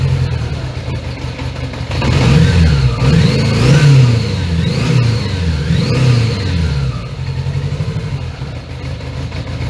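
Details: 1980 Honda GL1100 Goldwing, carbs recently cleaned and overhauled, during carb sync as lock nuts are tightened: revs keep swelling and sagging and won't hold a steady idle; carbs suspected out of sync.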